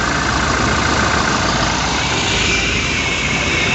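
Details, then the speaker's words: Toyota New Fortuner VRZ after AC compressor repair, idling with AC on: even steady hum, growl gone from engine bay and cabin; compressor operating normally, problem fixed. "hai oke sudah hilang ya Jadi untuk suara ngoroknya dah nggak ada lagi dan masalah sudah teratasi"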